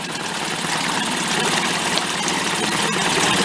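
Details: Late-1990s Mercury 5 hp two-stroke outboard, yard-sale repair, running in a water barrel in gear with a hair of throttle after idle adjustment: steady even buzzing idle, no misses or surging.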